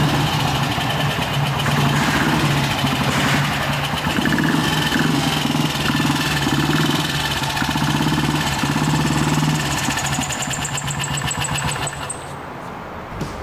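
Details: BSA 250 single-cylinder motorcycle, restored in the late nineties, on its first test run in a parking garage: steady single-cylinder thumping at idle, holding an even beat over ten seconds with no knocks or misses; running properly.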